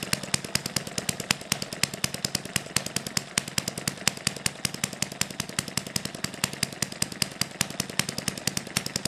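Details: Small hit-and-miss model engine on correctly mixed fuel, 3 V ignition, needle valve about a quarter turn open, original governor springs: sharp, quick, evenly spaced firing pops, about nine a second, light mechanical patter between; steady, normal hit-and-miss running.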